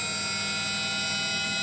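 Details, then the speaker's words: Haier washing machine that won't wash or spin, motor running: steady high-pitched whine with rough noise and heavy vibration; suspected damaged bearing, not confirmed. "So you see, the motor is not running very smoothly at the moment, there is a lot of noise in it, there is a lot of vibration. It seems that the bearing inside it has got damaged."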